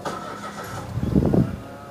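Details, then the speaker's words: 2013 Mitsubishi Mirage Exceed automatic with odometer reading 3,000 and service records: a brief starter whirr, then the engine catches promptly and settles to a quiet, steady idle. All dash warning lights go out; normal start. "mesin hidup, semua indikator pada panel instrumen akan mati. Itu pertanda baik, dan saya sudah mendiagnosisnya; Tidak ada masalah data atau sensor yang rusak."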